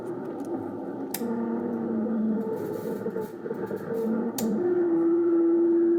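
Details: Ten Tec Paragon 2 receiver on WWV 15 MHz, AM wide filter, tuning off-station: low hum with tones stepping in pitch (about 100 Hz steps) plus clicks; suspected PLL noise or audio ground loop, unconfirmed.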